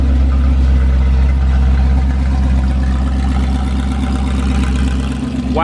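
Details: 440 big block taken from a motorhome, fitted in a 1970 Plymouth Duster, first start after sitting about six months to a year: fires first try into a loud, deep, steady lope with no knocks, oil pressure around 60–70. Normal idle.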